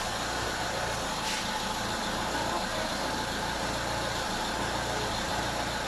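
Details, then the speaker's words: Mitsubishi Lancer after a rough, fluctuating idle, idle speed screw adjusted down to the standard 800 rpm: steady idle with the radiator fan cycling. Normal. "There, so 800 RPM So, now you can see the stability- the sudden drop probably you can hear the radiator fan is working and that is normal."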